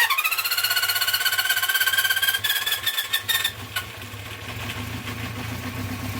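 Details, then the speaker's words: 1974 Honda CB350 Four tried without choke, then at 50% choke, then with choke off. Revs rise with a thin whine, then sag and stumble to an uneven idle instead of revving cleanly. "Should be revving up. Should be revving up like that when it's off choke, and"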